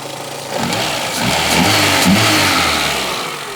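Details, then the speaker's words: Renault Twingo after ECU fault-finding and reconnecting connectors, now running on all four cylinders. Catches and revs smoothly, note climbing and falling cleanly with an even beat; normal running. "The Twingo is back alive. Sounds great."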